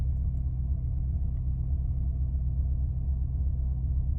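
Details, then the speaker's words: Warm 2005 Maserati Quattroporte, 4.2 litre Ferrari V8: radiator fan has switched off, idle rises slightly and holds around 950 rpm. Low, smooth steady rumble without hunting or misfires; normal idle. "Fan's gone off, revs have gone up slightly. We're staying around 950. Bang on 950."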